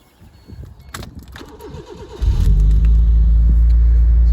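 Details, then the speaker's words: Proton Satria GTI, first start at the beginning of its revival: the starter churns briefly, then it settles into a steady, deep idle with a throaty twin-pipe exhaust. It runs fine; whether the exhaust is aftermarket or blown is unclear. "starts and runs okay sounds good"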